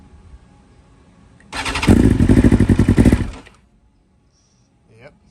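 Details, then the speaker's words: 2020 BMW S1000RR (K67) true cold start on original stock software after flashing back from Brentune: catches, runs roughly for about two seconds, then dies; needed several restarts, one ignition coil dead. Hard starting and stalling. "i'm gonna turn on the bike let it do its thing and we'll let you hear this thing it may stall a couple times and it's gonna sound weird it's gonna have a high idle so uh here we go"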